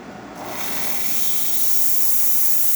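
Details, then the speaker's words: Bosch espresso machine after grinder repair, steam wand test once the thermoblock reaches temperature: a steady, even hiss of steam with good pressure building over a few seconds, no sputter or gurgle; normal steam wand operation. "you can see the steam coming out of the machine excellent steam really good pressure"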